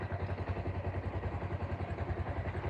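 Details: Small motorcycle engine idling steadily with an even low thump, about eight pulses a second and no knocking, after repair of rough running and knocking blamed on a piston installed backwards.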